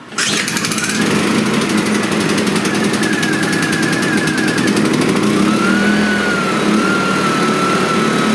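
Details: Suitcase generator after starter cord repair, choke on, primed, fuel on: engine catches immediately and settles into a steady, even buzz with no misses or knocks; running properly.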